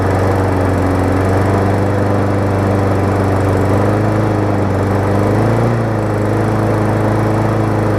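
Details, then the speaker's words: 2018 Murray big wheel mower with swapped-in engine from a badly worn mower, first start; steady drone with wavering beat dipping and recovering; running a little rough, cause unclear. "as you can see it kind of ran a little rough to start just because I"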